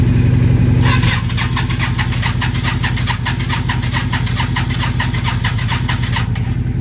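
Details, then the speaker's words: Yamaha XV 535 barn-find motorcycle, first start after 10 years, fresh fuel, jump-started from another motorcycle: starter spins engine at about three and a half beats a second with enough current, but it never fires. "wir hören, der Motor dreht, möchte starten. Es kommt genug Strom zum Starten, aber sie springt nicht an."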